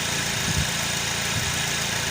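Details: Ford Territory, engine idling with AC on: low rough humming, growling and shuttering from the front accessories; the compressor was the first noted suspect, with belt and alternator also checked as loaded components. Cause not confirmed; noise goes away when the AC is off.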